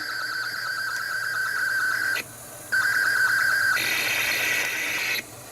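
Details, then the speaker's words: ZX Spectrum 128k +2 built-in tape deck loading Equinox: the lead-in tone is noticeably high and shrill, then data screech bursts. The deck seems to run far too fast, at wrong pitch, cause not identified. "That doesn't sound right at all. It seems going round really, really quickly. This ain't right. Why is the tape player going about warp speed?"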